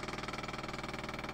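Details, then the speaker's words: BTT Octopus Pro v1.1 with TMC2130 SPI driver and NEMA 17 motor, homing test: a fast even buzzing clatter of about sixteen pulses a second as the stepper stalls and grinds at end of travel. Homing direction needs a Marlin config change. "so you can hear that grinding I'm going to remove the power let that actually uh cool down move this back to the center"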